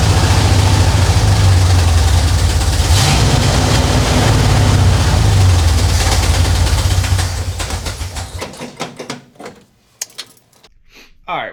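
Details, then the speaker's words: 1967 Dodge Charger 383 V8, first start in 15 years after new fuel filter and lines: loud, lumpy, hunting low rumble with a pulsing rhythm before dying; vacuum leak from a carb base plate too wide for the stock intake manifold. "Uh, I was wrong. I found the vacuum leak."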